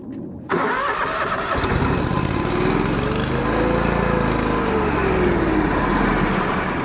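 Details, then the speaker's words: Kohler engine on Miller Bobcat 225NT welder/generator, after idle control module replacement (low idle now kicks in): engine catches, then speed climbs and falls instead of settling; surging idle, owner suspects a carb issue, not confirmed. "okay so uh evidently it works the only problem I see at this point is that there is a carb issue it's not quite idling properly if you heard it it was up and down a lot"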